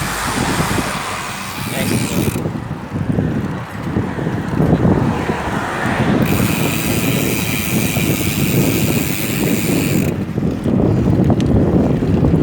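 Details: MAXZONE Stroke 1.0 rear cassette hub (32 holes, 3 pawls, 3 teeth, sealed bearings) coasting: a dense, fast ratcheting buzz; normal freehub clicking.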